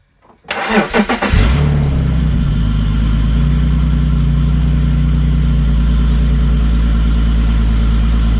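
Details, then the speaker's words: BMW E46 330ci, abandoned six years, after reconnecting a broken-off tube: short crank, clean catch, then a smooth, even idle with no hunting; rough idle and stalling fixed. "I'm gonna try and give it a start. Let's see if that fixed the issues."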